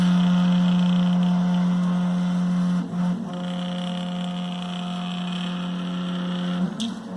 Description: My MPCNC 3D printer is making strange noises when moving diagonal on x and y axis